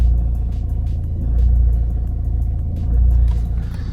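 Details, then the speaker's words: 2011 Vauxhall Astra 1.7 CDTi common-rail diesel at idle, on a scan tool, which also stalls pulling away: deep rumble swelling and sagging about every 1.5 s, worse when cold. Surging idle; a fuel pressure or supply problem is suspected. "kisses surging pretty badly now"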